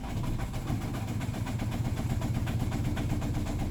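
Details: Volvo V50 2.0 diesel: the starter turns the engine over at an even four beats a second but it never fires; cranks but won't start, cause unknown.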